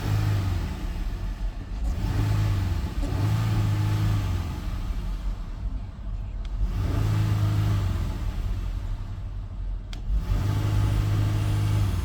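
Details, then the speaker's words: 2018 Dodge Durango, 3.6 L V6, check engine light on, transmission reported bad, AC off: repeated rev blips climb slowly and sag back, sluggish and uneven; revs hesitantly but drives, possibly a sensor such as oxygen or coolant, unconfirmed. "it revs up hesitant but if I put it in drive it goes the motor is good"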